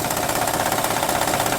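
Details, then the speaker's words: 2006 Honda Odyssey, engine running: fast, dense clatter from a loose, badly installed timing belt flapping on both sides, with possible damage to bank 1 and 2 camshafts; fix is a new original timing belt. Timing belt rattle. "de ahí esto viene el ruido Como les dije de este lado y de este lado está bailando está mal puesto"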